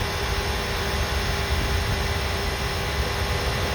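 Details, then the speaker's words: MG ZS EV under the bonnet on a warm day while charging after a motorway trip: steady, even rushing whoosh of the radiator fan running hard, no ticks, knocks or wobble; normal cooling fan. "and all this pipe work here is also the coolant system loads of pipe work going on for all the coolant and that oh yeah the the fan is the fan on the radiator is is wearing away"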